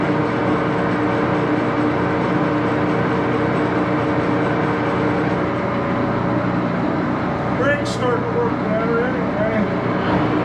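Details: Axelson 14x30" heavy-duty gear head lathe run through its speeds, headstock filled with AW68 hydraulic oil (about SAE 20); steady hum with even gear whine holding pitch; noisy but normal running.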